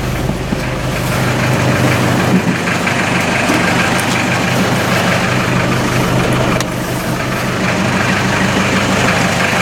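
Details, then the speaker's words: 1986 Ford Escort diesel in cold weather after fuel system repairs (replaced filters, sludged water separator) for stalling and no throttle response; steady even clatter with slight hiss, no stumbling or hunting: normal idle, running again. "I'm really happy and excited that it's running again"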